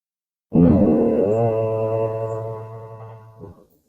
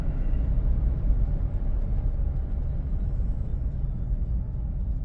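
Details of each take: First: 2008 GMC Envoy slowing to a stop while driving; a three-second low droning "moo" at steady pitch, the ABS falsely activating from lost wheel speed sensor signal, traced to a failing wheel bearing. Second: 2008 GMC Envoy after wheel bearing replacement, slowing from about 55 mph; smooth, even road rumble with no speed-dependent hum or moo, no dash lights: normal road noise, issue fixed.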